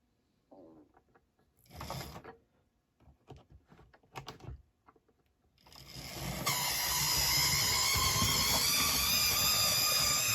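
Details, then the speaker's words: Mainline Railways Royal Scot model locomotive, run only about twice: after a few light clicks it starts with a steady, piercing high-pitched motor squeal; later it runs okay. "Well, you can hear that squeal. It's a Dapple Royal Scot, a beautiful looking model."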